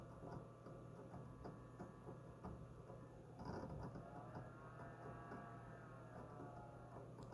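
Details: HGST/WD Ultrastar DC HC520 hard drive writing data: steady low spindle hum with quick, irregular chirps and ticks.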